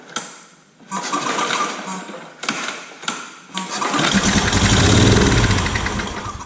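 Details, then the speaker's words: Old Scag hydrostatic walk-behind mower engine with new ignition coil gapped, carb not yet hooked up, hand-pulled on starting fluid: a few cranks, then a rough burst of firing before dying back; the ignition sparks, engine fires. "all right so it fires so getting the coil setting the right gap on the coil picking up the carb we still have to hook that up and make sure the carb runs but basically this thing just fired up"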